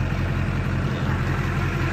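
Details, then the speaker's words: 2001 Duramax LB7 diesel pickup just after an Airdog II-4G 165 fuel system install gives a low, steady, smooth idle with no knocks; it seems quieter, and the owner notes it is due an oil change. "it does seem quieter though actually it really does and it needs an oil change so it's going to get quiet through or more quiet whatever"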